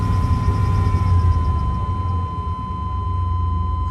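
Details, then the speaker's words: 1995 GMC Suburban 2500 4x4, 5.7 TBI V8, automatic; raised throttle in park above 1,500 rpm gives a low uneven rumble that stumbles, misfire-like rough running; new O2, MAP, coolant temp sensors, fuel filter and lines already fitted without cure. "As you notice, as we're sitting in park and giving more throttle to the motor, the engine tends to stumble or present a condition where it appears to be missing or just running rough above 1,500 RPMs."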